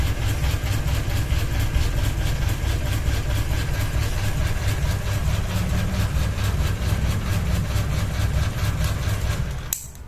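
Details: Ceiling fan running with one blade and a ball hanging off it, heavy low drone with a steady thump about twice a second as the out-of-balance fan wobbles on its mount; imbalance wobble.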